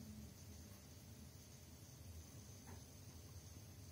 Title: Macbook pro 13 2018 coil whine